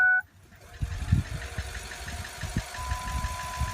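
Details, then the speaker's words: 2004 Ford F-550 after fuel pump replacement on the frame rail, key cycled on again to prime and fill the filter: steady electric hum with faint pulsing buzz over light knocks, then it stops; normal fuel pump priming, done five times to purge air. "You can hear it priming up, it'll stop. There, it stopped."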